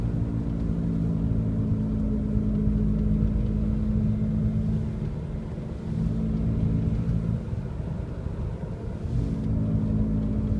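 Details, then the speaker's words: 2002 Honda CR-V while driving: a low rumbling growl from a badly worn left rear wheel bearing, louder when turning right to load it and quieter when turning left to unload it. "so if I turn the wheel left it unloads the left rear wheel bearing and the noise quiets down if I turn right it loads it up puts weight on it and it makes it noisier"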